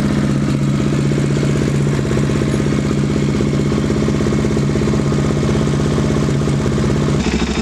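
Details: KTM 690 single, idling after fitting a Rally Raid mechanical cam chain tensioner not yet tightened enough: steady idle with light metallic clatter on every beat; timing chain rattle from slack chain, fix is snug to pressure point plus half turn.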